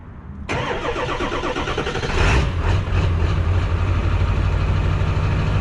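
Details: 2002 Ford F-350 4x4 with 7.3L Powerstroke diesel, after removing a stuck fuel filter, priming the fuel bowl and adding Sea Foam: brief crank, catches within seconds and settles into a steady, deep, even idle. Normal start and idle.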